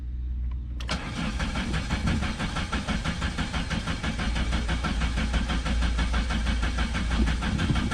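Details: 1987 Chrysler LeBaron Town and Country Turbo, salvage car, first start attempt: starter cranks about two turns a second and the engine sputters without catching; little fuel in the tank, and the in-tank fuel pump isn't delivering fuel.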